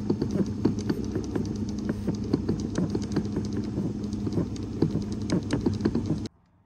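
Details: Skoda Fabia 3 fresh-air flap actuator chattering in the dashboard: irregular light ticking and tapping, several clicks a second, over a low steady hum; noise analysed, then repaired.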